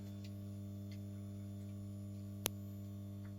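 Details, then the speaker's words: Dowell iPower 3 kW hybrid inverter on test, now live: constant low electrical hum with steady buzzing tone and one faint tick, which the owner dislikes; inverter humming, cause not yet pinned down. "buczy Nie podoba mi się to nie że to buczy słyszycie"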